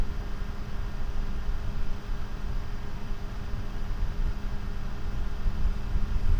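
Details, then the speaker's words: GVM PR150R LED monolight's factory 12 V, 0.10 A, two-wire 92 mm computer-style cooling fan, which has no speed control from the panel. Constant airy whoosh with a steady low hum that never changes pitch: loud cooling fan noise. "Okay, so let's fire up this factory fan, which is just a 12 volt computer style fan."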